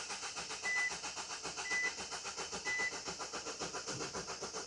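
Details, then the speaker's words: Van on high-pressure common rail diesel, dealership diagnosed as needing a new engine loom and ECU: steady starter cranking with no firing, rail pressure only about 40 bar, not reaching the right pressure; crank-no-start, cause unknown. "So, they're definitely not reaching the right pressure."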